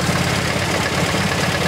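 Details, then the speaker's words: MGB GT with Lumenition optocoupler electronic ignition at idle: lumpy idle with irregular dropped beats; strobe finds no spark flashes on cylinders 2 and 3; ignition misfire. "number three let's see I got no flashes so that is really no good so there is something wrong with cylinders number two and three with the ignition"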